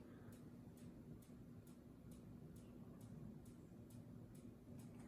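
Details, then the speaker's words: Minka Aire Volterra ceiling fan running with a soft, steady click about twice a second over a low motor hum; the fan wobbles slightly, and the clicking stops and returns when it is wiggled. Cause not confirmed. "you hear that clicking noise something is clicking there you hear it I swear I'm hearing clicking I wonder what it could be"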